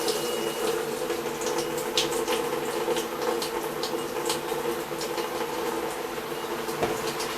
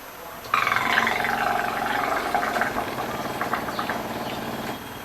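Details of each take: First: Brastemp BWG11 washing machine with an intermittent water inlet problem, after the fault was found and fixed: smooth, even hiss of water filling with a soft steady hum and no chatter; normal fill. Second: Brastemp BWG11 washing machine filling with water: steady buzzing hum about four seconds while water is fed, then stops; noise at water intake, inlet valve suspected.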